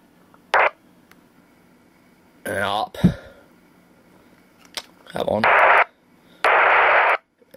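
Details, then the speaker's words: Radio receiver tuned near 453.525 MHz (similar to 449.475): hiss cutting in and out in half-second blocks with chirpy bursts, weaker signal lost about 12 kHz off; unknown intermittent interfering signal. "we seem to lose it with only about 12 khz that this this signal seems to be weaker than that on 449 so it seems to be as though the 449 may be the sort of output of some strange paging repeater"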